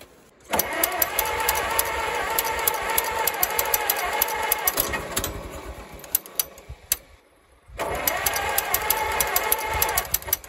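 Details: 1934 Allis Chalmers Model M crawler, 300 cubic inch four-cylinder, 85 years old, long unused, oil leak present, coolant fitting leak just fixed; loud raw rapid popping from open exhaust, steady beat with a brief drop; running pretty good without muffler.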